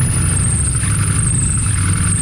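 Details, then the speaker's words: Running old car with rough, slightly misfiring idle (needs spark plugs, belt needs tightening) and a low fluttering rattle from a damaged clutch throwout bearing; loose engine mounts let the engine bounce around. "But if you hear that rattling, that's all the throwout bearing. The engine mounts aren't tight, so that's why it's kind of bouncing around."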